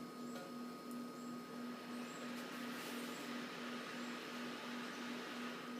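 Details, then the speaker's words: Motorola MTR 2000 100 W UHF repeater, turned down to about 40 W into a service monitor dummy load, with a Northcomm interface cable to a SCOM-7330 controller; soft steady fan whir pulsing about three times a second during restart mode: normal cooling fan test. "Now you can hear the fan test. The repeater is going through its restart mode."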